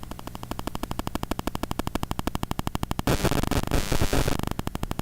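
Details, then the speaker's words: Shure SM7B mic with Cloudlifter: rapid chattering buzz pulses, then a dense static burst, from a mobile phone transmitting even though it isn't close to the mic. "Oh, it's busy now. And the phone isn't even close to me. You heard that."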